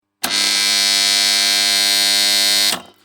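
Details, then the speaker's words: Three-phase farm water-pump motor starter giving a harsh, loud, steady electrical buzz; the contactor armature is dirty. "शेतकरी मित्रांनो तुमचा जर starter अशा प्रकारे जोरजोरात जर आवाज येत असेल तर त्याचा आवाज एका मिनिटांमध्ये बंद कसा करायचा ते आपण आजच्या व्हिडिओमध्ये जाणून घेणार आहोत"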